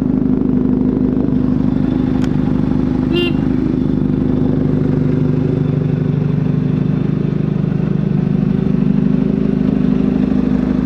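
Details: 1983 Kawasaki GPZ-550 garage find after carb rebuild and tuning, Kerker exhaust: smooth even four-cylinder drone with crisp exhaust note, no knocks or misses; running healthy.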